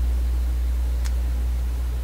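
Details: Steady low drone near 50 and 100 cycles with nothing riding on it: mains hum in a vacuum tube PA amplifier, probed at the plate of the second 6SJ7 preamp tube while paralleling cathode bypass capacitors to find the cause.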